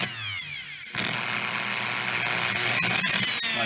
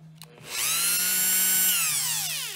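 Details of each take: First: Dremel 4000 rotary tool, case opened, running rough and cutting out: high-pitched motor whine stutters and drops out as a brush fails to keep good contact with the commutator; a protrusion on the brush guide stopped the brush moving freely, and the owner suspects a worn brush. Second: Dremel 4000 rotary tool after repair, plastic tab on the brush guide carved away so the brush moves freely: whine climbs quickly to a steady high pitch, holds evenly without rattle or surging, then winds down smoothly; normal running.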